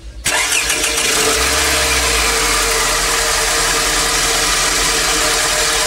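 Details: Toyota ACV30 just after fitting new Denso spark plugs, aimed at a high-rpm stumble: brief crank, clean catch, then a steady, even idle with no stumble or misfire.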